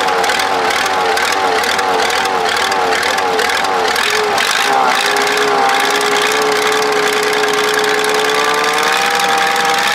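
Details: Supercharged Cummins diesel tractor after fitting a different injection pump: after a rough start it settles into a steady, even idle with no knocks or misses, running healthy.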